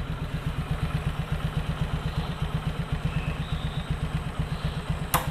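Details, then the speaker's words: Suzuki Skydrive scooter, kick-started and idling right after fitting a new air filter: even putt-putt of about four beats a second with no misses or hunting; idle unchanged, as small and stable as with the open filter. "gini setelah pemasangan, stationernya nggak ada yang berubah, jadi seolah-olah open filter aja kayak tadi."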